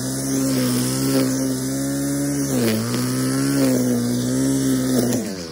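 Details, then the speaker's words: Scavenged two-stroke, owner suspects the carb metering diaphragm lets air into the metering side, so the low-speed screw is set richer to idle; it drones unevenly and sags in pitch on the trigger with a wet, rich burble. "I actually think it is letting a little bit of air back in to the metering side of the carb and that's why it's not quite running like it should I have to run it richer on the low speed screw so that it idles"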